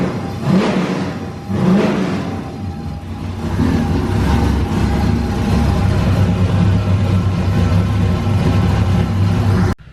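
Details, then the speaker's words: Race car engine idling after radiator refill with water, bleeding air bubbles from cooling system for overheating fix: two sharp throttle blips, then steady, even idle with no knocks or misses; normal running. "All right, so we got this thing idling out, trying to get all the bubbles out. Sounds good."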